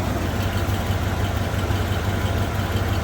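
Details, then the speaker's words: 1987 Ford F150 4x4, 302 V8, C6 automatic, after reinstalling the transmission vacuum modulator and line: deep steady idle, no shake, stumble or knock; running smoothly, normal idle. "Just idle down. It's actually running really quite smooth right now. It's not shaking. It's kind of running nice."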